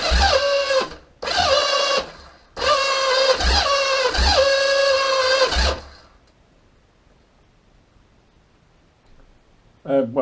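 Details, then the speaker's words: Kawasaki KZ750B engine on the stand, electric start attempt: several bursts of free-spinning starter whine rising in pitch with no compression thumps; the starter clutch slips and won't grab the crankshaft, needing refurbishment. "as you can hear it's um it's spinning it's not fing engage in where it needs to uh s of grab the crankshaft"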